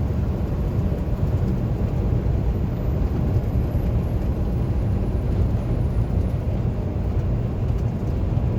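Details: 2016 Peterbilt 579 diesel truck cruising after repair in Houston: steady, deep rumble with no hiss or roar. The loud turbo-area noise and black smoke came from a small hole in a rubber hose, now replaced with new clamps.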